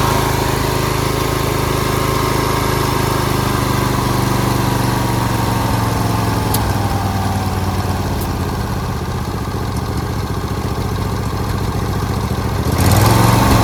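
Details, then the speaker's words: Briggs & Stratton V-twin after replacing four bent pushrods, head gaskets, cylinder head and carburetor, fixing a split fuel line and replacing a missing carb bowl screw; steady, even beat that picks up smoothly on a throttle blip; normal running. "thing runs great."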